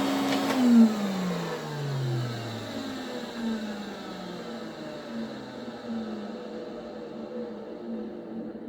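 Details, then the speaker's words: Restored 1980s Electrolux 350E vacuum switched off after running from minimum up to Boost: pitch falls over several seconds with a rough, uneven grumble beneath; worn motor, improving with use but still poor. "grumbo okay so maybe it's five Nails on a Blackboard now other than 10 gets better the more it's used but can still hear it it's it's not the best"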